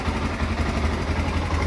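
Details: Honda NX4 Falcon single-cylinder motorcycle after replacing the cam chain tensioner, which had caused a cold-engine cam chain rattle: steady low thump at idle with no chain knock or ticking.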